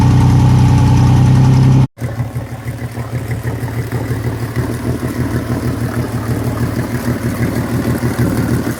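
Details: Yamaha outboard on a boat that sat unused for years, started after fuel was poured into the fuel-water separator because the hand pump wouldn't prime. It settles into a low, steady, quiet hum with no knocks or misses: normal idle.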